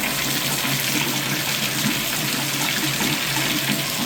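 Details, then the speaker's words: Bathtub drain after cleaning out black debris, water running: steady even rush down the drain with no gurgling or glugging, unlike before; the drain now flows freely. "Yeah, it's doing good now, guys. I don't hear that gurgle like I did before."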